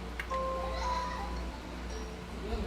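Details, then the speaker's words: Minecraft Special Edition Xbox One S in for no display: short clear two-tone chime over a low steady hum at power-on, before a glitchy display appears; normal startup chime. "I'm going to switch over before we do switch over real quick and so here's that lovely tone for the Minecraft Xbox"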